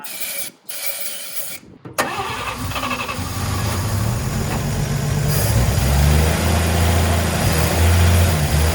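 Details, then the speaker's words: 1954 Chevrolet, parked originally as a non-runner, first start after freshening with new cap and rotor: cranks a couple of seconds, catches and settles into a smooth, even idle with a steady low drone and no knocks. "It surprised me now that it's running. It sounds like it's running very well."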